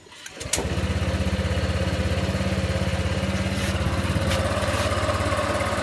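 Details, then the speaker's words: Honda Vario 150 scooter at 93,000 km, after an oil change to a Bimoli cooking-oil mix with a little Shell Rimula R4X: a quick start, then a fast, even idle putter with no misses or knocks. The owner says it still sounds smooth and runs normally. "Nah sudah Mbah sudah saya matikan ini suaranya masih halus tetap enteng tetap normal performa enak sarikan enteng"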